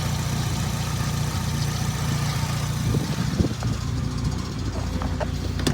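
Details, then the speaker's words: 1998 Nissan Sentra SE-R bought as a no-crank no-start, now running after the starter signal wire was wired directly: even, low idle rumble with a steady beat, no knocks or misses, some handling noise at the end; normal idle. "It's that old school SCRJ. Go ahead and put this up in here somewhere. That doesn't touch anything. Sounds good, too."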